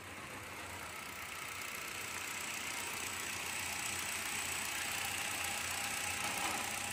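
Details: 2016 Hyundai Accent during a no-crank/no-start repair: a quiet, even idle that slowly builds under a lot of hiss, with no misses or knocks. Normal idle.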